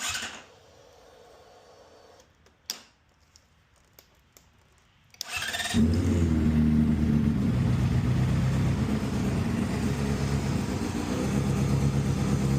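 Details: 2010 Honda CBR600RR after new starter relay solenoid, new battery and oil change: quiet clicks, then the starter catches and the engine settles into a steady, even, smooth warm-up idle; healthy start, nothing abnormal.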